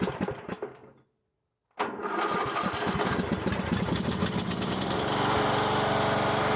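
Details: Troy-Bilt lawn mower after repair, started on jump pack with choke, carburetor flooded at first for unknown reason: single-cylinder cuts out, restarts and settles into a steady even putter with no misses or knocking; normal running.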